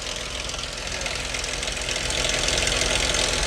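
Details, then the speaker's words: Chrysler 2.7 engine at idle, AC off: sharp, fairly even clatter about three times a second, seeming to come from one side of the engine; valve train noise suspected, possibly sludge, cause undetermined. "All right, y'all hear that clattering noise? You know what's weird, guys? It sounds like it's coming from this side."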